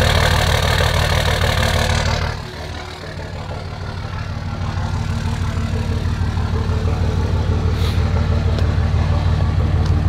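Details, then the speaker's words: 5.9 24-valve Cummins diesel, no muffler, cold start: loud open-exhaust idle with a lumpy, uneven pulse that steadies slightly after a stumble; rough cold idle, cause unconfirmed. "but i want to show you guys what's going on now a little cold start you can really hear it"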